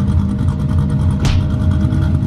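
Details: Friend's LS2 C6 Corvette that just had a cam installed: deep, choppy lope with an uneven chug at idle and steady exhaust rumble, a healthy V8 running a big cam.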